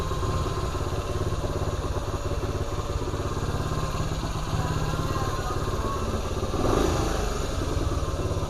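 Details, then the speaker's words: 1975 Honda CT90 after warm-up and carburetor adjustment: even, quick putter at a settled idle that isn't revving too high, with no hunting, ticking or clatter (it later would not go into gear); normal idle. "I think I got it idling at a decent, you know, RPM. It doesn't sound like it's revving too high or anything like that."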